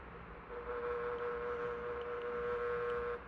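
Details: Fan running since the 1970s: a steady, even hum at one pitch, like the housing buzzing. The owner suspected the thrust washers, but the noise was vibration resonating through the base, and that has since been fixed.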